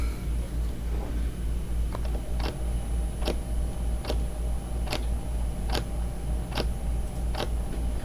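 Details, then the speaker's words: Orion telescope azimuth slew motor and gearbox with cover off: a steady hum with sharp clicks roughly every 0.8 seconds as the gearbox skips and pops, giving rough azimuth tracking. "let me just choose a higher slew rate to get the nuts to come around and even on number five listen to that that's not smooth you can hear it skipping and popping"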